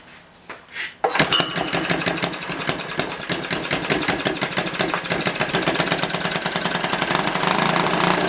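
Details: Old, worn Clinton B700-series (B704) single-cylinder engine, possibly from a rototiller, after carb clean, started on choke without air filter: fires after a brief attempt and settles into fast, even, rattly running, slightly smoky.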